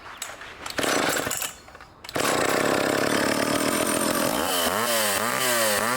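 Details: Revived old vintage foreign two-stroke chainsaw cutting wood: a crisp bark settles into a steady loaded drone as the chain bites, with revs holding firm. Normal cutting under load.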